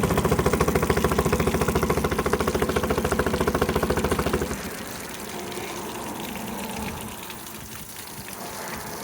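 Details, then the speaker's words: Honda BF10DK3LHS 10 hp long-shaft electric-start outboard on water muffs, running in reverse; even steady beat about three pulses a second, no knocks or rattles, extremely quiet and smooth; normal running. "as you can hear the motor is extremely quiet runs nice and smooth"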